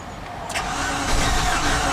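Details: Infiniti QX56/QX80 SUV from salvage auction, suspected engine or timing problems, cranked after new battery and fusible link; starter spins at decent pace but skips a cylinder, catches briefly and won't keep running, oil light staying on.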